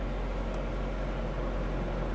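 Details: Totaled Chevy Spark at auction, 11,778 miles: steady, even low rumble with no knocks, ticks or whine at idle; small petrol engine idling smoothly, normal.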